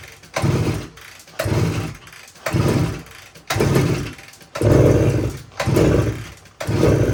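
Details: 1972 Suzuki TS185, fuel valve on, key on, choke applied: seven short turnover bursts about once a second, never catching; compression still very low after head gasket ring, owner suspects worn piston rings.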